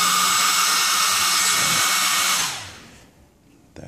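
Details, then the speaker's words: Dr. Madthrust electric ducted fan after balancing by repositioning spinner on rotor, run on and off the table: steady high whine, smooth with no wobble or buzz, spools down cleanly; balanced, no vibration. "so i'll run it up just so you can you can hear what it sounds like and i'll move it away from the table and then back on the table so you can see that there's no difference in sound so there's no vibration so let's run it up"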